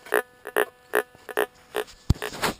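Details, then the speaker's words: White's GMT gold detector: short low pig-grunt bursts about twice a second as coil sweeps; iron target, ignored. "pig grunt, that's iron. We don't worry about iron. More grunting, iron."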